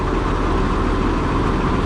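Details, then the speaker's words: Oliver 7300 combine after variable speed thrust bearing replacement; short, even low rumble with no knocking or grinding, ticking over smoothly; normal idle. "Quieter because I can't hear it from the cab like I used to be able to. Let's got her up to full speed."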